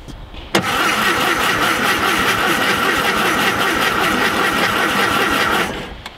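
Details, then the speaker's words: VW Thing Type 181 sitting since 1989 (32 years), points just cleaned and premix fuel shot added, spark not yet confirmed; five seconds of steady cranking with starter whir, never fires; cranks but no start. "that didn't sound good did not sound promising let's check let's check for spark"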